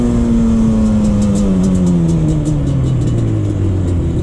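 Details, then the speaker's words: 2001 Yamaha Banshee 350 two-stroke, test ride after an exhaust leak was fixed with new clamps: a crisp buzz falling in pitch as revs drop, clean and even. It performs better now that there is no leak. "i can definitely say that it did uh perform a lot better with with uh those clamps now that it's not having an exhaust leak"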